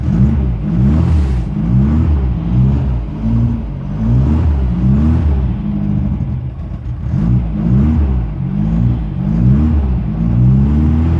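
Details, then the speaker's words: 1974 Porsche 914, 1.7L air-cooled Type 4 with dual Dell'Orto DRLA carbs and no choke, first cold start at about -15°C: a low, lumpy rumble that surges slowly in a rough, uneven cold warm-up idle. Normal for a cold start. "Oh starts and that's no joke this"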